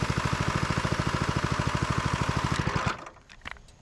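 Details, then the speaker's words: Honda GX200 engine on a DeWalt pressure washer, a used unit unstarted for a couple of seasons, now fixed: even single-cylinder firing around 3,300 rpm for about three seconds, then it cuts out; runs clean. "but yeah that's why you'll have the throttle up on it but that runs like a champ so we'll turn this fuel off"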